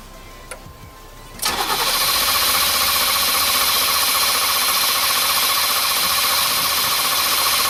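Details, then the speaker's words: 1989 Formula, sat 3 years: steady cranking about four turns a second for six seconds, never catches; the corroded injector is bone dry and no pump is heard, so it's a fueling problem, likely a dead fuel pump. "It's bone dry, nothing. So it's definitely a fueling problem. I don't hear the pump, but I don't ever remember it being too loud on this car."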